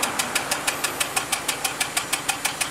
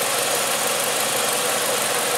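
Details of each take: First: Nissan Sentra 2.0, heard at the exhaust: steady idle with a sharp, regular puff about three times a second, an uneven beat. Mechanic says it is misfiring and a cylinder is surely not working; cause not yet found. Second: 2013 Nissan Sentra 2.0 with prior overheating problem, after repair: engine revs cleanly with a smooth, even pull and no rattle or knock; sounds healthy.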